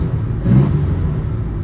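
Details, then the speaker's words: Restored 1968 Pontiac Firebird Sprint, OHC inline-six with triple Weber carbs and big-diameter exhaust pipes; deep low rumble with one quick throttle blip that swells and settles cleanly, throaty exhaust, healthy normal revving. "This engine sounds very good. I want to get under it and see the exhaust work. Um, it's definitely got some big diameter pipes to give it that deep tone."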